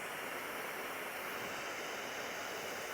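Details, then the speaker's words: Detroit Diesel 6V92 truck after air line swap, park brake set; steady unbroken hiss with no engine running, air escaping at a valve where owner suspects a bad small gasket, not leaking before. Air leak hiss. "little gasket right there I guess the gaskets bad it wasn't any air coming out of it before but whenever I set the park brake air comes out of that"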